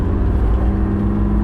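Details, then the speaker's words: 2001 turbo Trans Am WS6 LS1 with a new air-cooled turbo, on 93 octane, driving with windows down: deep steady V8 drone under throttle with a faint rising whistle on top; turbo spooling cleanly, runs beautifully. "this car runs beautifully my windows down let me give you a little bit of turboosh"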